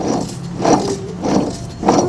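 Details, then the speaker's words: 2000–2004 Mitsubishi Eclipse front hub turned by hand after axle removal: a gritty grinding swells and fades about every 0.6 s. A badly worn front wheel bearing, which is being replaced. "See, it's really bad. And this is a reason why I had to remove it."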